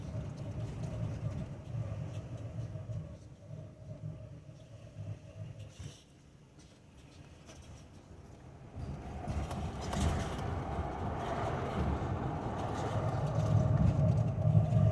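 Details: 2005 Toyota Tacoma with Wilwood big brake kit, noise starting two months after install: low rolling rumble with steady mid-pitched brake hum pulsing with wheel speed; fixed by following the installation instructions.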